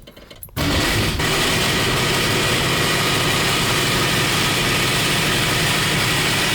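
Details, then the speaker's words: 1965 Mustang project car started to warm up: catches at once into a loud busy clatter with sharp top-end chatter at idle; noise went quiet, then returned; owner doubts the flywheel and suspects a bolt rattling inside the motor; loud engine rattle at idle. "It's great, the noise is back. Sounds like a bolt that's rattling around inside of the motor."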